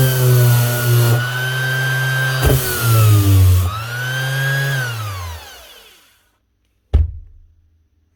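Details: Makita BO6030 Velcro sander brought in for running slow, with an odd smell: motor hum sags and climbs, never holding a steady speed, then winds down. Speed controller suspected rather than bearings or armature.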